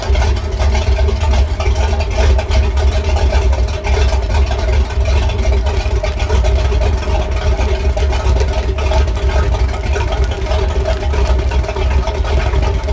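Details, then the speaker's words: Sea Ray Pachanga 32 OMC 460 V8 after a tune-up with plugs gapped at 0.035 in and the carb adjusted; exhaust hoses are temporarily clamped. Strong, even rumble with no misses or knocks; the idle is slightly high but running clean. "I think I have the idle maybe set a little too high, but it's not bad."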